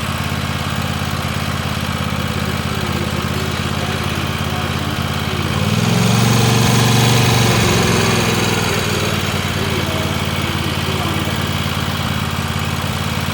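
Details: Free Weed Eater tractor's Tecumseh twin-cylinder (TVT691) warming up on its first run after oiling the cylinders, new oil and oil filter, and refitting the plugs, charging: an even idle beat, revs climbing smoothly near six seconds then settling back; normal running.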